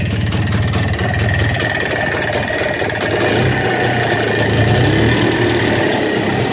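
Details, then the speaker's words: Muravey (Ant) scooter two-stroke, stood outdoors all winter, hard starting: started without priming fuel into cylinder but needed choking three times; runs unevenly, beat wavering and surging. Owner suspects poor fuel delivery, maybe carburetor. "будет так у сейчас завелся без подлива жижки цилиндр но правда три раза подсасывать подозреваю я что почему-то плохо поступает бензин"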